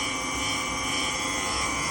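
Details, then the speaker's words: GE washing machine making noise during the spin cycle: a steady high-pitched roar and whine through the spin. The noise is said not to be from the tub bearing. "Como ustedes pueden escuchar, tienen ruido cuando stream aquí."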